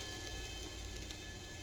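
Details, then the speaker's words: Yamaha Virago front brake rotor spun against sanding block before pad replacement for squeal: short soft even scraping hiss without rhythmic catch per turn; rotor true, not warped, just small burrs from debris. "sounds like the rotor is still pretty true it's just got these little nibs on it"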